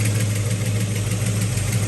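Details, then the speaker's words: Possibly 1970 Pontiac GTO V8, warm idle with fast light valvetrain ticking over the lope; under the valve cover rocker arms on number two and number six were loose; rockers tightened. "all right so we found the source of our issue with the loud lifters um when we looked at them we found number number two on the exhaust or the intake was uh was loose and so was number number six"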